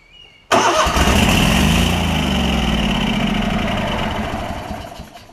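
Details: Lincoln Ranger 8 welder-generator with a Kohler Command CH20 V-twin, primed with carb spray, catches and runs roughly for a few seconds, then winds down and dies. A stuck carburetor needle is starving it of fuel.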